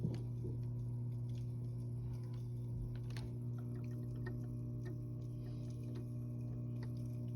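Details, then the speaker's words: Top Fin Indulge 3-gallon aquarium filter, under a month old, noisy for two days even after cleaning: steady low pump hum with irregular faint ticks and gurgles while water flows. Cause unclear. "are you guys okay with the noises that you're hearing"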